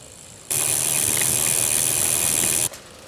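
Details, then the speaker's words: Brompton with Sturmey Archer hub gear freewheeling in gear 3, the noisiest gear: quick fine ticking from pawls, which is normal. "So just remember, that lovely ticking is just life with Sturmey Archer."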